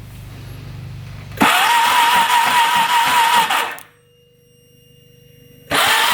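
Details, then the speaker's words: Odes Dominator 800cc UTV bought cheap, cranking after confirming good spark on the plugs: uneven cranking bursts with a dull clunk on each turn that sounds low in the engine; cause unknown, compression test planned. "yeah so we've got good spark you can hear it kind of clunk in the engine sounds like it's down low to me"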